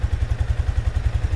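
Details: Sniper 155 motorcycle idling just after an oil change with Shell Advance Long Ride oil and a new oil filter: steady low thumping at an even pulse, no ticks or knocks; no unusual noise, engine healthy.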